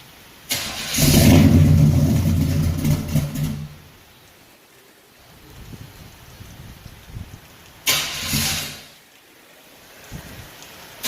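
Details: 1974 Chevrolet Caprice after tune-up and valve adjustment: quick cold start settling into a steady, even idle with no misfire or stumble; the earlier exhaust misfire is gone, healthy cold start.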